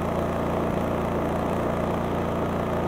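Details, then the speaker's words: Honda EU3200i generator (GX130 single-cylinder OHC, fuel-injected, 89 engine hours) idling with no load at about 54–56 dB: low, even drone with no knocks, misses or surging. Normal idle. "you can hear it's pretty quiet this is about 54 56 DB right now and you can see it's not running any load"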